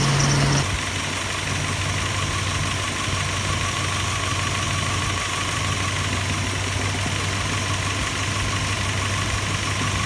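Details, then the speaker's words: 2005 Subaru Outback 3.0 flat-six idling, being treated with Blue Devil head gasket sealer for a suspected blown head gasket: slightly uneven, loping beat with an occasional stumble; misfire at idle traced to the number three cylinder. "so what we did find is during that time we were chasing the misfire and turned out that the number three cylinder was given us an issue"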